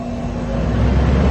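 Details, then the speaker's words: Neglected central AC condenser in Orlando, first power-up after rewiring at the capacitor and before refrigerant and leak sealer are added: a low hum swells evenly with no buzzing, clicking or scraping; the unit starts normally. "Wire it up. Turn it on. 3, 2, 1, please don't explode."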